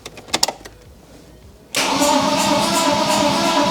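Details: BMW E46 coupe with swapped M52B28TU engine, first crank after reattaching a forgotten starter connector: a few light clicks, then the starter turns the engine over evenly at about three pulses a second.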